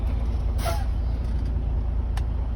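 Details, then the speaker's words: 2021 Freightliner Cascadia, 79,747 miles, diesel rumbling steadily with short air hiss and click, no beep or low-air warning while reversing after temporary fix; warning fault traced to failed blue sensor under driver-side dash behind accelerator. "in reverse drive backward okay nothing appears even the times rates are low it's not a problem"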